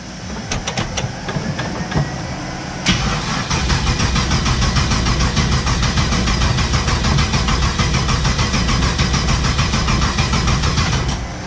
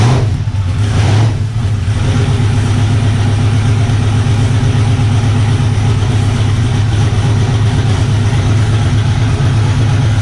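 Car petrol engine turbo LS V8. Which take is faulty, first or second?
first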